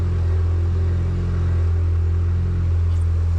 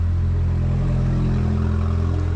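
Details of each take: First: Damaged 2018 Porsche Macan, 47,000 km, sat about two years and started within half a turn: deep, loud, steady exhaust rumble at an even idle with no misses or knocks; healthy engine, muffler removed. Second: 2018 Porsche Macan, 47,000 km, sat unstarted two years, salvage rebuild: loud steady deep drone at idle just after first start, muffler removed.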